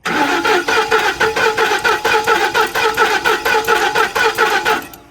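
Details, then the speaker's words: 2010 Ford F-150 with 330k miles, three codes pointing to crank/cam timing correlation, suspected jumped timing; had briefly run before. Steady starter cranking about 1.5 beats per second for five seconds, never catches: cranks but won't start; solenoid suspected, not confirmed. "See, I told you it wasn't going to start because we done freaking."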